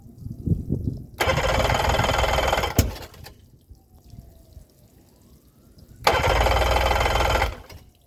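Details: Yamaha 90 after a CDI swap: two cranking bursts of about two seconds each, a fast steady churn that never catches. Cranks but does not start.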